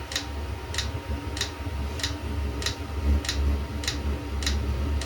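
A sharp, regular tick about every 0.6 seconds over a low hum; the heater's dosing pump is pulsing normally while it primes.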